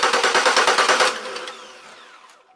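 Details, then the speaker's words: Chevrolet Malibu cranks but won't start: about a second of quick, even cranking beats that never catch, then dies away. No spark, fuel present; crank sensor suspected, knock sensor also considered. Unconfirmed. "I get no fire getting fuel I get I got fuel up here so that's sure there"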